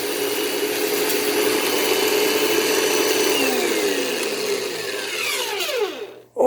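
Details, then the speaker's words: 1989 direct-air bagless vacuum in vacuum/brush mode: harsh high whine with a throbbing undertone, pitch sweeping down at shut-off. Runs rough; owner, not an expert, suspects the fan has blown up. "i don't think it's actually defective but yeah that to me it sounds like the fan in this thing has blown up"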